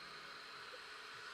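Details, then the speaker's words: 1989 Porsche 911 Carrera 3.2 Cabriolet, driver's power mirror moved by joystick with ignition on, before the passenger-side wiring repair: faint even whir, no clicking or grinding; mirror motor healthy. "you can see the mirror moving down up that's right and then there's left so the joystick seems to be working right"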